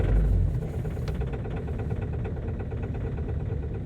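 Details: Ford Focus 2.0 TDCi diesel, cold start at -18 °C after a -24 °C night, hard to start: deep, steady diesel clatter settling into an even idle, no misfire or knock; normal cold idle.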